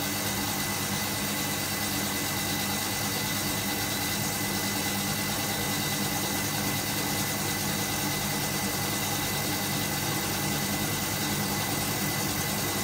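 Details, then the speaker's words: Hotpoint Supermatic De Luxe 9414 twin tub spinner on its final spin, new belts fitted: steady motor hum with a thin whine, smooth and even, no knocking or scraping, pitch rising as it speeds up; normal spin. "I'm just holding on to it you'll hear the pitch change as it speeds up"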